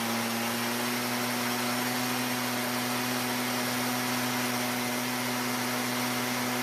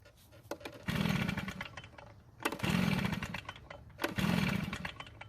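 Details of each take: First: Stihl backpack blower bought as a non-starter, after the carburetor H screw turned a quarter turn richer: steady high-pitched two-stroke drone that holds even without surging, then cuts off; running normally. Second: Stihl backpack blower with no primer bulb, choked, old fuel still in: three rope pulls about every second and a half, each a brief whirring crank that never catches; no start, later traced to stale fuel.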